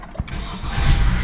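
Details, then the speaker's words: 2014 Honda Accord 4-cylinder, push-button start after replacing a starter that clunked and clicked: quick crank catches right away into an even idle, no clanking from the starter; normal start after repair. "Starts up beautiful."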